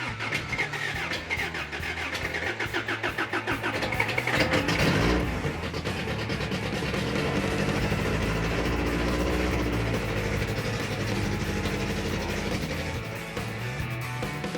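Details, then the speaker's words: Freshly rebuilt 350 V8 on first start, timing close, before cam break-in. Idles lumpy with sharp irregular exhaust pops like raw fuel exploding, suggesting a rich carb; a loose rocker arm to be checked, and the front carb screws had no effect. "Timing's where we need it, but it's popping out of the exhaust, and it sounds like raw fuel exploding the exhaust."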